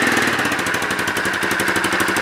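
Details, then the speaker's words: Loncin JL250GY Rover 250 single-cylinder engine, rebuilt and reinstalled, idling with an even, steady chuff. The earlier rattle is gone and the engine sounds as it should. Final tuning is still to be done. Normal idle. "este compañero ya no se escucha el cascabeleo y ahora voy a terminar de hacer la entonación"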